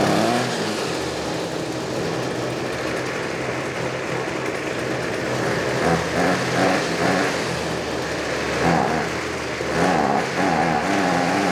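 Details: Trash-picked Ryobi 25cc two-stroke string trimmer after repair, with fuel lines corrected and the primer pumping fuel. It buzzes steadily and rises cleanly on throttle blips with no misses: normal running.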